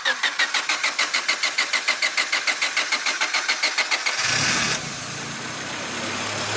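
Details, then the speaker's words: Manual sedan started in neutral with the clutch pushed in: even cranking at about three turns a second for four seconds, then it catches cleanly and settles into a steady idle. A normal start. "Okay, so you guys see it does turn on. I told you it runs."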